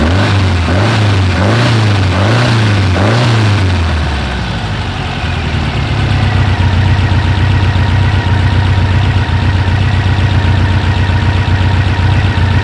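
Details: 1956 oval-window VW Beetle with Weber 44 IDF carbs, idle mixture being set by ear without a wideband: idle surges up and down about every 0.7 seconds, then settles to a steady beat; the mixture is cut too lean.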